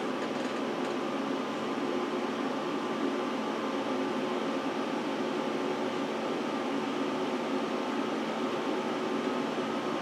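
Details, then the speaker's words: Power Mac G5 Quad during a very long boot after the CD-ROM spun down: loud, even rushing airflow as fans kick up to full speed; owner notes these Macs sometimes crash at this point with fans racing; cause unconfirmed. "no CD ROM just spun down so and now the fans are kicking up"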